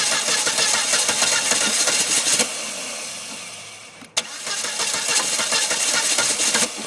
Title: Volvo s40 hard start part 2